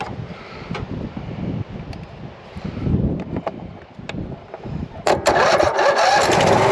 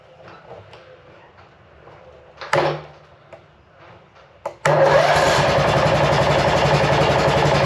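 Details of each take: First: Cub Cadet RZT 42 zero-turn mower on a jump pack: the engine catches about five seconds in and settles into a steady, even idle. A normal start and idle. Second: Cub Cadet RZT 42 zero-turn mower bought cheap with a dead battery: cranks, catches briefly and dies, then restarts into a steady fast chug; will not stay running. Owner suspects a bad key switch or safety wiring, not confirmed.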